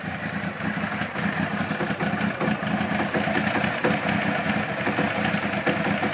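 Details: 1992 Honda CBR900 motorcycle at idle: busy mechanical clatter with light irregular ticks from the top end; owner suspects timing chain or cam chain tensioner, or something else, cause unconfirmed.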